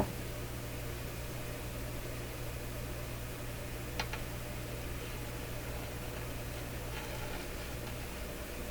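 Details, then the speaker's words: Bradna JBL-37 tube radio after tube pin cleaning: low, steady deep-pitched mains hum with nothing else playing; intermittent fault traced to poor tube socket contact, affected by flexing the chassis. "What a hum came out of there. There's a heck of a hum. I never noticed the hum before."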